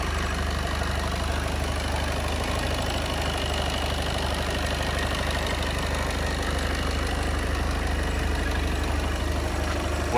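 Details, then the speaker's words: VW Passat Alltrack 2.0 TDI diesel, about 5 years old, at cold idle; steady, even diesel clatter with no knocks or misfires and a faint belt note judged normal, running as it should. "To, co slyšíte vy, i to, co slyším já, tak za mě zde není vůbec žádný problém. Auto běží přesně tak, jak má, za studena."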